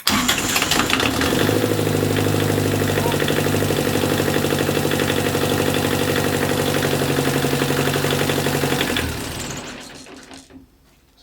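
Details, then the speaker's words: Universal Atomic Diesel 5432, 32 hp four-cylinder in a Corbin 39, first start in over 40 years after fresh oil and filters, glow plugs used: quick crank, then steady, even diesel clatter at constant idle with no misses; normal diesel start. "fired right up for us there"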